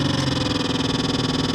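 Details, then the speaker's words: 1996-2000 Dodge Grand Caravan HVAC blower motor behind the glove box: low steady hum with a quick flutter, turning weakly on every speed setting after being banged to start; resistor ruled out, worn blower motor needs replacing. "so the motor's running on all of them it's just barely running so it's not the resistor it's going to be the blower motor"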